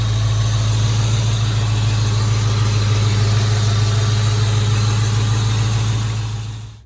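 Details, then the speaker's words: Ford Mustang GT V8 at idle after heater hose work (heater core cracked, coolant had dripped from firewall drain onto exhaust): deep, even idle, no ticks, knocks or misses until shut off; oil pressure up, normal idle. "so nothing serious everything's looking good oil pressure is up everything was just going great"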